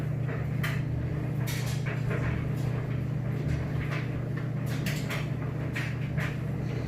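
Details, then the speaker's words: Maytag Bravos HE electric dryer on normal auto, high heat, light load: steady low hum with soft even drum rumble and occasional light tumbling bumps, quiet and smooth, operating normally. "as you can hear nice quiet smooth operation sounds great and I'm gonna give it a minute to heat up"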